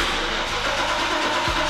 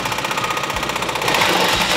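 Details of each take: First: Mercedes 126-series Koenig Specials SEC, sat a while, low on fuel, first start: loud steady V8 rumble catches cleanly with an even beat and brief blip, no misfire; loud pipe, sounds incredible; normal start. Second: Cold start of a V12 that has sat unstarted a long time; slow, labored cranking about a second before it catches and flares unevenly; owner thinks the battery is very dead.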